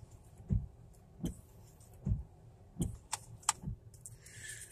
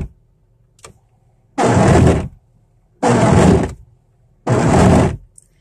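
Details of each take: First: 1998 Oldsmobile Cutlass wipers after cleaning dirt off the Duralast blades and applying WD-40. They sweep quietly with only a soft low thump at each turnaround, and no squeak, chatter or jumping. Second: 1998 Oldsmobile Cutlass wiper blades chattering across the windshield in three rough buzzing sweeps about 1.4 s apart, before cleaning and treating the blades with WD-40 in cold pre-winter weather.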